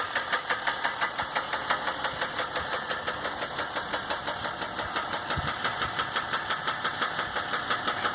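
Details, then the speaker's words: 2015 Dodge EcoDiesel, 18k miles, before second oil change: sharp even metallic knock about three per second at idle; no check engine light, normal gauges and oil pressure, though truck lacks power and shakes; cause not pinned down. "No check engine light, no gauge, full pressure good, running good, no nothing."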